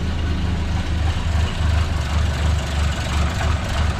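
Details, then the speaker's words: Renault 5 with C1J turbo engine mid-conversion to MaxxECU Mini EFI, ignition still on 10° fixed advance, first start: lumpy, uneven low idle with irregular beats, hunting and stumbling; owner thinks it needs more choke. "Choke think he need a bit more choke"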